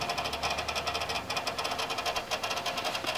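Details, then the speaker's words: Circa 2001–2002 beige desktop PC at power-on: rapid light chattering rattle over fan whir; power supply fan not spinning, source unclear, possibly the graphics card fan. "I'm really not sure where that sound was coming from it could have been the graphics card which also could b"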